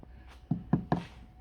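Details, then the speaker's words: Toyota Auris SR180 sill tapped underneath with small hammer: three dull, soft thuds with no solid-metal ring; sill rotten, packed with rust and mud, needs welding for MOT. "Really soft."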